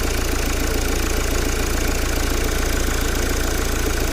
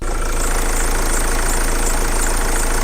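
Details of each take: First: 2010 Mercedes Vito 2.2 CDI diesel after replacing the squeaking auxiliary belt idler pulley and belt: steady, even idle with no squeal or chirp from the belt side; normal idle. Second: 2010 Mercedes Vito 2.2 CDTI diesel, warm engine at idle: thin, high, wavering squeal over steady idle from dry idle pulley; much worse when cold; WD-40 spray silenced it.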